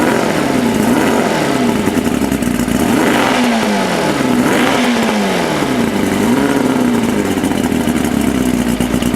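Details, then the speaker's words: 1992 Mercury Classic 40 HP two-stroke outboard with a replacement block (original pistons scored), compression 132–135: revs rise and fall unevenly, bogging under throttle; owner suspects carburetor adjustments are needed. "là comme on peut voir il y a de la misère un petit peu à monter en régime c'est probablement les ajustements de carburateur"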